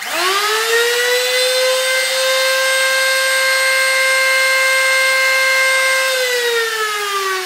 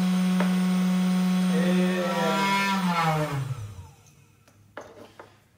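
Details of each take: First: Old wood router (tupia) at full speed: a piercing, steady high whine that sags in pitch as it spins down; the bearing is starting to loosen, making it louder than a new router. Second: 500 W CNC spindle at moderate working speed, then coasting down: a smooth, quiet, steady hum winding down evenly with no grinding or rattle; healthy and quiet enough to work beside without ear protection.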